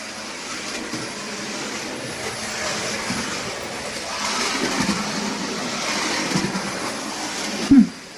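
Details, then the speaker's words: New Bachmann OO gauge Midland 1P 0-4-4 tank engine running in backwards: even soft whirr with no high-pitched squeak or quacking heard earlier at the end of forward running-in, though it once stopped dead at 60%; running normally. "I don't notice that high-pitched squeak running backwards. I was just shutting up there so I could listen to the engine."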